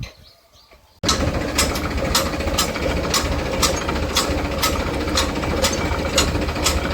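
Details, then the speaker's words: Shaktiman rotavator driven by tractor after bearing and wall seal replacement and new blades fitted; steady even drone with no grinding, only a light regular tick from one blade bolt still to be fitted. "તો મિત્રો આ રીતે આપણું cutter હવે બહુ ready થઈ ગયું છે કોઈ પણ જાતનો અવાજ નથી"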